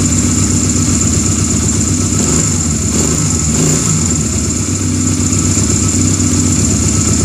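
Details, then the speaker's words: Honda Rebel after new one-way starter clutch, flywheel and stator install (old barrel pin caused noise): starter engages cleanly, engine catches into an even beat without slipping or grinding; normal cranking and start. "so now before i put anything else back on here we're going to turn this over and see how she works"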